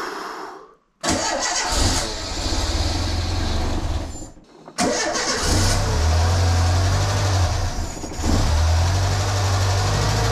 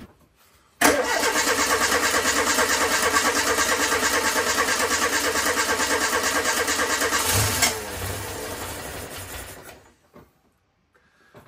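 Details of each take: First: Renault Super 5 on its first start after a year and a half of restoration, with the fuel circuit just re-primed: engine catches, dies, restarts and surges unevenly with irregular pops; unstable, needs adjustment, and the owner wonders whether the fuel circuit is fitted the right way round. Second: Renault Super 5 after a year and a half of restoration: engine catches first try and holds a steady, even beat for several seconds before shutting off; normal start and run.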